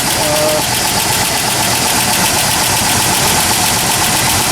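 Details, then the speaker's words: 1997 Ford F-150 4.2 L at cold start, about 35°F: quick even ticking about four a second over steady hum, worse when colder; owner suspects lifter noise, plans to add Marvel Mystery Oil before an oil change. "um and I started up in this cold weather it's about 35° I get this ticking noise as you can hear course the colder it is the worse it is"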